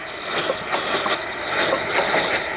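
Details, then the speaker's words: Soule steam engine, first run in years, poorly running and bypassing: sharp irregular knocks every quarter to half second over steady running; loose lead in the crankshaft counterweight rattling. "You can hear my lead in there. Just ignore the noise of that."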